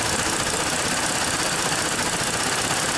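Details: 2014 Ford Explorer 3.5L with check engine light, bank 2 cam/crank correlation (P0019) and random/cylinder 4 misfire codes, IDS reading 50: loud, uneven idle with a ragged, stumbling beat over a busy hiss from a stuck bank 2 exhaust cam phaser.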